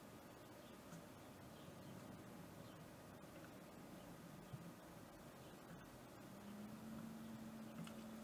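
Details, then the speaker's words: Water cooling pump at 100% speed then turned down, microphone pointed at the pump after reassembly: faint smooth hum, no rattle; owner believes debris caused the earlier rattle, now normal. "as you can see or rather here it did not change a thing I'm pretty sure there was some debris inside of here that caused the rattling noise um and now it's gone so I'm happy with that"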